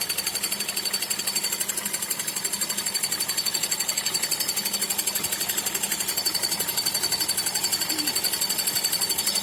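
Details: Petrol engine after a drive: sharp metallic ringing tick about three times a second, steady; owner unsure whether valves or fan clutch, squeal like water pump belt at start earlier, asks if pump could knock.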